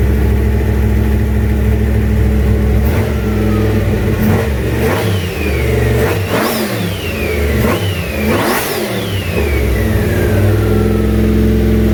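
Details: Junkyard 351W turbo V8 in a 1967 Mustang, first fire-up with headers, turbo and wastegate plumbed into exhaust exiting off the fender; lumpy idle between four sharp revs that climb and drop, runs rough and needs a tune.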